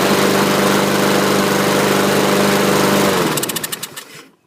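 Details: Used 2015 Husqvarna rear-wheel-drive mower with side chute, recoil slow to rewind: small single-cylinder engine runs at a steady, even pace with no misses, then shuts down cleanly. Healthy normal running.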